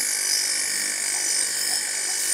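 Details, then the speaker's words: Household water pump motor after reassembly and tightening: steady high thin whine with dry scraping edge over motor hum as the impeller starts touching the pump head. "इसे देखिए, यह आवाज़। ऐसा होने लगा है हो गया। वह है, इम्पेलर स्पर्श करने के लिए शुरू"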